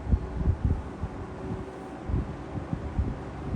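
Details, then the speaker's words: Lakewood P-25 box fan, new in box since 2007, on low after first cleaning and oiling its bearing ports: soft, steady whoosh with gentle air pulsing, no rattle or scrape; runs smooth and healthy. "This just moves so much air and it feels like it's effortless. So cool."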